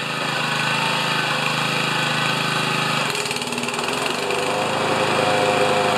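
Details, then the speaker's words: Older Honda mower engine, started on choke after oil-leak work, target over 3100–3200 rpm, reads about 3160: steady, even full-throttle buzz at governed speed with no misses or surging; normal full-throttle run. "I'm gonna start it and we'll just check the RPMs if they're over 31 to 3200 I'll be a happy camper"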